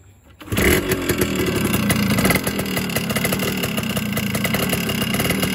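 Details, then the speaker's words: Yamaha RX100 two-stroke motorcycle, older engine, just started: busy crackly two-stroke idle with the usual mechanical chatter; normal noise for this aged engine. "तो दोस्तों, जैसा आपने सुन लिया होगा, ये जो आवाज़ कर रहा है ये नॉर्मल आवाज़ है। इतनी ये करेगा ही करेगा, क्योंकि ये थोड़ा पुराना हो गया है इंजन, तो इतनी आवाज़ करेगा ही करेगा चाहे कुछ भी कर ले।"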